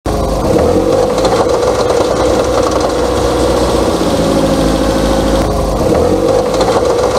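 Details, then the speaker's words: Running car: fast steady metallic clicking rattle from a worn CV joint (punta de flecha), often mistaken for engine noise. "acabamos de escuchar el primer sonido que muchas veces le llamamos cascabeleo, pero en realidad es cuando está mala la punta de flecha, que se escucha como un cascabeleo que a veces pensamos que puede ser el motor u otras cosas"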